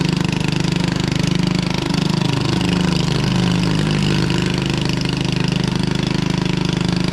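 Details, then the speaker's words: 1996 Craftsman LT1000 Turbo Cool lawn tractor, first run, running on carb spray: loud, raspy, uneven single-cylinder chugging with a harsh exhaust blat. Owner suspected the muffler or a head gasket; the muffler was later found cracked in two. "sounds like we need a muffler or a head gasket"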